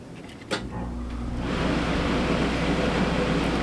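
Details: Older (about 2005) camper's rooftop AC on 110 V shore power through a long extension cord, in a job where the furnace was the fault: a click, then a steady low hum and even airflow rush rising to a constant level; AC starts and runs normally.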